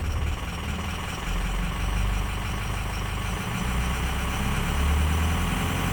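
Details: 6.0 diesel rough idle with slow rpm climb: deep, uneven, lumpy idle with unsteady pulses; cause not identified.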